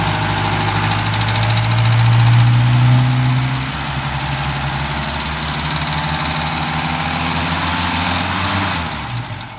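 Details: Opel Rekord P1 petrol engine, long version, idling steadily with a light, regular clacking tick about four per second; source of the clatter unclear.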